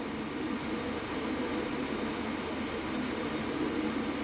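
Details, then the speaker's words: Diesel heater installed indoors, warmed up and running: steady even combustion rumble with smooth hiss; fuel pump knock, heard at start-up, is now practically inaudible, only felt by hand; normal running. "Yeah, cuz there's hardly any knocking. You can't hear it."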